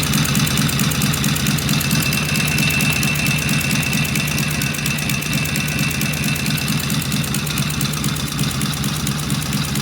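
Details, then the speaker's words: Vintage British twin motorcycle "Fred" first start on the lift, primary cover open, oil pressure gauge fitted; even, lively idle about two beats a second with mechanical chatter from the open primary, sounds healthy. "Wow, that sounded good. I feel bad is that sounds better than beauty did."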